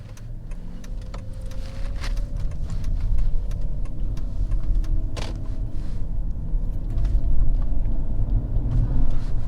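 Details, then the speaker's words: Mercedes-Benz S600 W221 with M275 V12 biturbo on a drive after replacing a blown Y-coupler intercooler pipe; deep smooth engine rumble rises under acceleration with no boost-leak hiss or whoosh; boost sounds sealed and healthy. "Yeah, it's definitely not leaking anymore."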